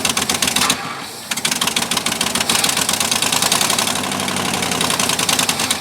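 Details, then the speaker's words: 1958 or 1959 Ford F600 grain truck, 330 V8 with 4+2 transmission, idle for years, attempted start: fast, uneven, ragged clattering run as the engine gets far too much fuel. "she was getting way too much fuel in there so we're going to turn that in quite a bit"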